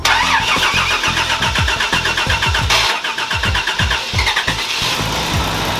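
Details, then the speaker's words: Toyota FJ62 Land Cruiser, no-crank fixed by replacing a faulty aftermarket relay: starter cranks in quick pulses, the engine catches within a second and settles into a steady, even run; a healthy start. "this is now running which is really good i can breathe"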